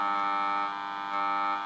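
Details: Kriesler 11-20 valve radio under repair for motorboating: steady low buzzing mains hum with fixed tones remaining with volume turned fully down, suggesting hum entering before the volume control; cause suspected, not confirmed.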